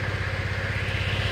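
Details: Motorcycle under repair for a dead front brake light and electric starter fault: electric start works, then a quick, even low thump at steady idle with no skips, knocks or rattles; normal idle.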